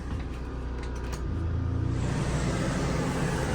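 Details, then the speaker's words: Ducted rooftop air conditioner on an auction-bought toy hauler RV, powered by the onboard generator: steady low hum with an even rush of air, no rattles or squeals; AC fires right up and runs normally. "that one as well generator sounds pretty good that's running everything"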